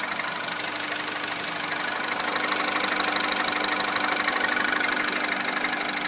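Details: Citroën DS3 Racing engine at idle: steady idle with a light, even tapping about three times a second over the engine hum; source unclear.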